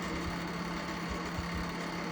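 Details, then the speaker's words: Lakewood 792/A electric milkhouse heater, 1300 W then high setting: steady fan drone with coarse hum and rough uneven rattle, louder on high; noisy fan, suspected dry motor bearing or loose blade. "We got something wrong here. I'm thinking it's either a dry motor bearing or the fan's blade itself is loose. We'll kick it up to the high speed really quick. It just gets louder, but it is kicking out good heat."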